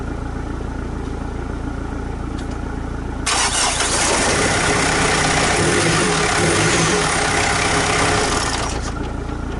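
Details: Turbo project vehicle on a low, jumped battery, first start after about 8–9 weeks of rebuilding. It is quiet for about three seconds, then catches and settles into a strong, steady, even idle.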